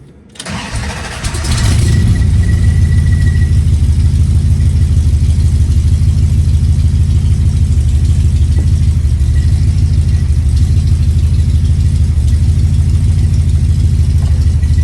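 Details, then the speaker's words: 1970 Dodge Challenger V8 after the misfire fix (carburetor adjusted and tuned, new spark plugs, firing order checked), low on fuel: cranks and catches quickly, then settles into a deep even idle, running fine while driven around the neighbourhood. "She's running fine right now. I'm going to do another circle over here."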